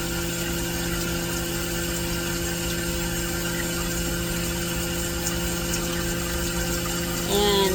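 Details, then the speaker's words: Vevor milk cream separator running with water after reassembly and troubleshooting: steady even hum with constant low tones and water rushing through, no knocks or scraping; running normally. "is what it's supposed to sound like. I'm going to call that a win."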